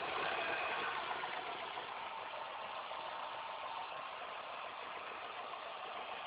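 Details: Car engine at idle after replacing all belts, timing chain and tensioner: steady idle with regular light ticking about four a second over a thin hum; abnormal engine noise from the belt drive area.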